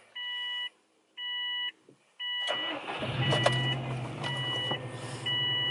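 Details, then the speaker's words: Subaru WRX Bugeye wagon, first start after replacing the failed OEM intercooler inlet with a Grimmspeed one: door-chime beeps, a brief crank, then the engine catches promptly into an even idle; normal start. "all right she's on and it's good cool"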